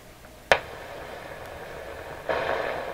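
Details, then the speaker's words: Canadian General Electric KL-96 tube radio after replacing all paper capacitors, volume down while warming up: sharp pop then a swelling hiss as it crackles into life, third time it has done this; cause unknown. "a characteristic pop into life again. It's the third time it's done that."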